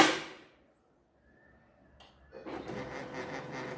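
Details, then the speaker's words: Canon 2009 laser printer with a 12A toner cartridge: a brief clatter, then a loud, steady rough scraping grind while printing. Prints stay sharp and the printer itself is quiet, so the cause is the cartridge's magnetic roller. "Đấy, đầu tiên là chúng ta nghe tiếng kêu rất là to đó. Bản in rất là nét thôi, nhưng mà nó kêu rất là to."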